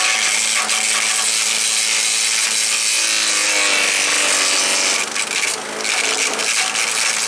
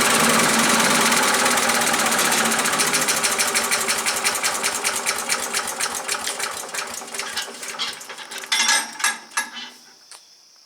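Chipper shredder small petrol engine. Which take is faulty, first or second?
first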